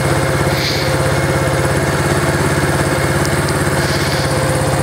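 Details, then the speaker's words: Project Yamaha SR250 single, warmed up after ride: fast steady thumping at idle, idle much higher than when cold; owner feels something needs adjustment, unsure, maybe normal; cause not confirmed. "something needs adjustment i feel like because no it's warmed up the idle's way higher i mean i guess it's pretty normal but i'll have to look into things"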